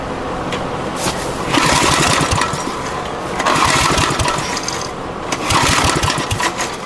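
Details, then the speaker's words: Abandoned Generac generator with kill wires cleared and spark restored: three two-second bursts of recoil cranking with no firing. Fuel turned on but the bad-shape carburetor isn't primed; cranking no-start. "Carburetor's certainly in some shit shape though, but let's try putting a little more fuel through it and see if we can get the fuel system primed at all."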